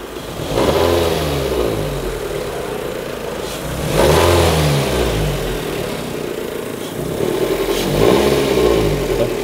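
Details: 2002 Toyota Corolla 1.6 L, 81 kW: engine revved three times with a tinny metallic buzz on each rev, loose sheet-metal heat shield rattling; fixed by adding a screw/washer to tension the shield instead of replacing the exhaust part.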